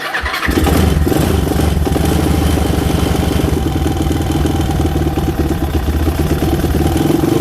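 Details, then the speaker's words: Whitey, a small single-cylinder bike, on its first spring start since before Christmas, on a new battery with oil due for a change: fires immediately and settles into an even, quick single-cylinder thump at idle with no misses; normal idle. "so let's see if whitey's gonna start let's see how you do whitey not bad not bad at all"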